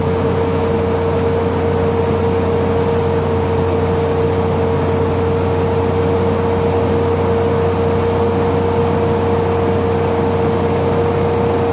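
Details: 2013 Tiffin Allegro Bus diesel motorhome: a steady, unwavering high-pitched squeal holding one pitch over a low diesel hum; cause unknown.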